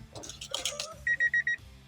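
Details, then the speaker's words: 1986 Honda Prelude Si with a replacement head, B16 intake manifold and OBD1 conversion, at first startup: running rough with the check engine light on and code 7, TPS recalibrated, and the owner suspects the MAP sensor. Four sharp, high warning beeps sound when no chime should. "I don't like how it's got that beepy."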